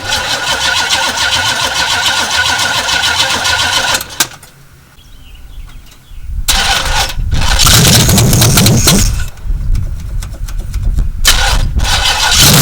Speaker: pour some gas in the carburetor got this thing to fire off a little bit the issue was that it wouldn't run on anything other than what we poured in carburetor